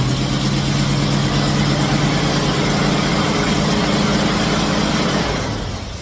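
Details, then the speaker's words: Oldsmobile Cutlass V8 after HEI misfire repair (MSD coil and module, Moroso plug wires, ACDelco plugs), timing set, carb circuit and vacuum adjusted: even idle, steady low burble, no misses, ticks or stumbles before winding down; healthy. "all right so I think we got the timing pretty close uh we adjusted the uto circuit on the carburetor we got the vacuum right in the middle everything looks good"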